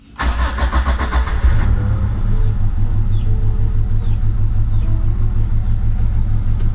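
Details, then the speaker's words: Daihatsu Taruna EFI, first start after full engine rebuild (worn pistons and liners) done for smoke on deceleration: uneven, lumpy idle with a stumbling beat; cylinder 1 plug found black and fouled, plugs and leads replaced; misfire. "jadi tadi pincang ya kirnya kita buka businya ini bus yang nomor satu ini hitam jadi ngebong di sininya"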